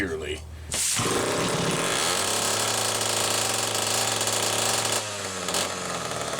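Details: Homelite 4-20 chainsaw on final test run after repair, with an odd spring-loaded converted choke: once it catches it holds a steady, high buzzing speed with no stumbling or missing; healthy running.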